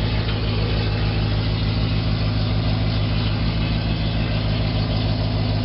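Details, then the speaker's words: 2011 Silverado about a month after long tube header install, still at high idle warming up, owner hoping it runs less lean: deep, even V8 idle, steady burble, no puffing or ticking at headers; no exhaust leak heard. "Don't hear it leaking at all. I think we should be good there."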